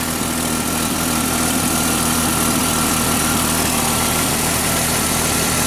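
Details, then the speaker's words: Jeep Cherokee 4.0 after tune-up (cap, plugs, wires, new coil wire, ECM reset): runs a little better, random-misfire check engine light gone, but a slight miss remains at idle with an occasional small stumble; owner suspects injector, maybe needs cleaning. "seems to be running a little bit better we're gonna take it for a test drive it's still got a little bit of a mess it feels like maybe injector"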